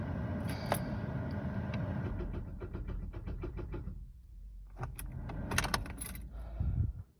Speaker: everyone thinks it's probably just a dead or dying battery fingers crossed that is what it is